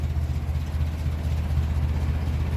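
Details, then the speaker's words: 1957 Ferguson 35 TVO tractor warmed up after a rocker shaft replacement and valve adjustment: deep, slow, even thumping idle just under 500 rpm, fan belt audible, no top-end tapping; normal warm idle. "ne again and it sounds better than it ever sounded so we'll see how long it stays sounding like that I don't mind doing it again as long as it stays good we don't hear it tap tap tap tap"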